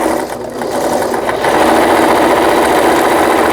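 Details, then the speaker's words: Brother PC15 home sewing machine, about 20 years old and apparently unused about 10 years, after repair of the feed regulator, thread guide and stuck pattern mechanism: quick steady clatter at about four stitches a second, no knocks or binding; stitching normally. "다행히도 수리가 잘 되었습니다. 예, 보시는 바와 같이, 예, 정상적으로 박음질이 돼서 나오는 브라더 미싱의 PC15라는 기계."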